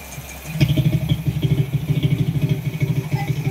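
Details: Honda Wave 125 single-cylinder after crankshaft replacement for a failed connecting rod that had caused a grinding-like noise. It has a low, steady putter at about three beats a second with no knocking, a quiet, clean idle. Normal idle.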